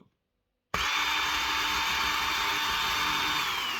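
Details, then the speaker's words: Parkside PWSAM 20V angle grinder under repair, RS 650 20V brushed DC motor wired straight to power, bypassing the board: sharp spin-up into a high, steady whine at constant pitch, no grinding or stutter; motor runs normally but loud. "Littéralement incroyable le recul qu'il y a. Bon, par contre, c'est juste, ça fait du bruit, c'est bien dommage."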